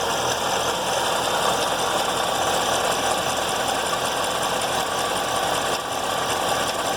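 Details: Chevrolet C7 Corvette Z06 V8 at idle: steady idle with a faint, unusual tapping/knocking like a loose marble rattling inside the engine; source not pinned down.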